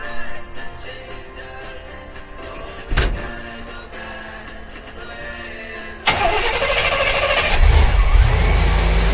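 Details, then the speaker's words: '54 rat truck, 305 throttle-body fuel-injected V8 with about 120,000 miles, after water pump work: the starter cranks briefly, then it settles into a steady, even idle with no ticks or knocks; sounds way better, normal idle. "Now that sounds way better. It's not going."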